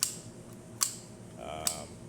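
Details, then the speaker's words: Elektra T1 Deliziosa espresso machine in for tune-up; owner-fitted replacement heating-element contactor gives three sharp loud clacks about 0.8 seconds apart; works but too noisy, replaced with the smaller original-type Elektra contactor. "The owner ended up replacing it with this contactor, and it functions fine, but it's really loud, as you can hear"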